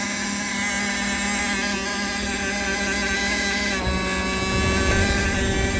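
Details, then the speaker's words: Sailboat Ford Lehman diesel, later start after hydrolock: catches first try and settles into a steady, even idle with no misses or knocks; healthy start, engine called rock solid. "All right, she started. Well, she started first try. If there's one thing that I can't complain about with this boat, it's the engine. The engine is rock solid."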